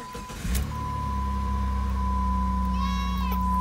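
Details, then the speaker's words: 2003 Jeep Grand Cherokee just after replacing the failed harmonic balancer (crankshaft pulley, rubber separated, belts slipping off), coolant refilled; starter catches, engine settles into even idle with steady hum, no knocks or squeals; normal engine start after repair. "let's check it out guys I don't hear any noises oh god well done so far"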